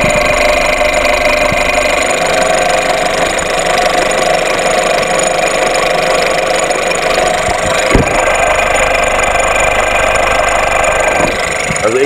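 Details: VW Golf VI 1.4 TSI (CAXA) at idle, still ringing after a new high-pressure pump made no change. Light metallic rattle and ringing over a steady idle. Valve timing is off after earlier chain work.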